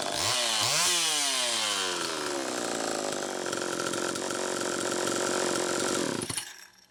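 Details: Homelite Super EZ chainsaw on test run after the carburetor was fixed and the high needle reset from about four turns out to one turn; snaps up to a thin screaming high rev, holds, then cuts out, running lean. Bad crankshaft seal air leak suspected.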